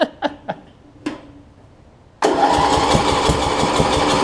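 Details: Murray rear-engine rider mower with new battery, ran the day before: a few weak pops while cranking, then catches with uneven, lumpy firing around three beats a second; hard starting, cause unknown.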